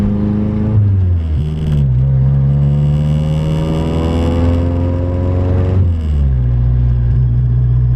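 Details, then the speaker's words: Nissan 240SX driving rough road after tightening loose front passenger coilover lock collar that caused preload loss and clunking over bumps: steady road rumble and engine drone, no thumps or clunks; normal suspension after fix. "do not hear any thumb sound which is good um this road is pretty this side of the road's nice but the other side of the road is not that great"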